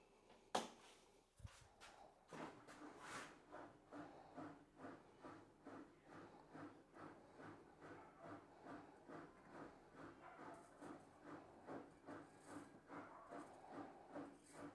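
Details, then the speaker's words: Bosch front-loader washing machine tested on the spin cycle after repair for a noisy spin that left clothes wet. It spins smoothly with a swish about once a second, free of grinding or knocking. "We're going to test it now. Put it to power, spin cycle, and press start."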